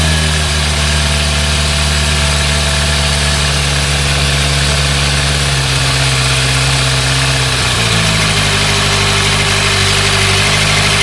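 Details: Thunderace motorcycle finally running after hours of work (carb cleaner sprayed, plug spark checked): steady, even idle with a smooth low hum and no misses, revs easing slightly near the end; normal idle.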